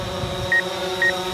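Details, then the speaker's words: DJI Phantom 4 Pro drone on its first flight, backing up: short high beeps about twice a second over steady rotor hum; rear obstacle sensors warning, triggered at roughly 12 feet. "Yep, those are the rear sensors. So you hear that beeping, that's it saying, hey, I'm gonna hit something."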